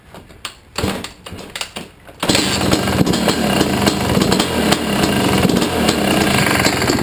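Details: Yamaha YZ250 two-stroke dirt bike starts and idles with a light, fairly regular tick over its buzzy exhaust; owner suspects power valve or worn top end, unconfirmed.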